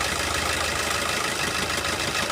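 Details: Diesel car with injector two disabled through an OBD2 ELM327 scanner app. The idle is lumpy and uneven with a stumbling beat because that cylinder isn't firing.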